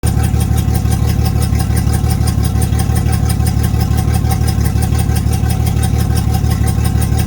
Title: Yamaha F225 Rough Idle 5/9/20